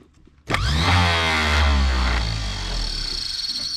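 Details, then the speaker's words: 90-year-old starter from 1934 Chevrolet farm truck, removed and bench-run; spins up quickly to steady clean whine at even speed, no grinding or clatter, Bendix stays out with no engine to kick it back; normal starter operation. "but it's going to stay out since we don't have the engine to kick it back"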